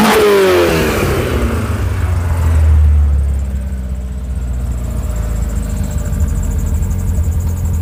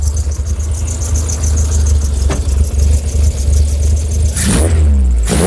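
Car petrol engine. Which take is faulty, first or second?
first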